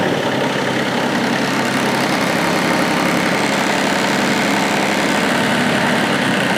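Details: 40-year-old Kubota F2000 front-mount mower diesel, brief run after oil change with 3.1 L Rotella T6 to check oil level: even clatter at steady idle, constant pitch and level, no misses or knocks. Normal idle.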